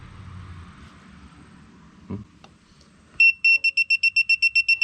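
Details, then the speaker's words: Propane leak detector bench testing an RV hot water tank: rapid steady shrill beeping about four per second at a gas fitting deliberately loosened a quarter turn; detector reads red, propane leak. "let's see if this detects anything oh it does it's the red it says bad we've got a bad situation there"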